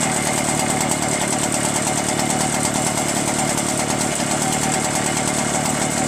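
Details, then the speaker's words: Echo PB-403T backpack leaf blower two-stroke, after carburetor clean and magneto reinstall, running with faulty kill wire removed: steady even buzzing with constant fan rush, no misses or surging; normal running. "Kill wire is now removed. That was it. So the kill wire is busted."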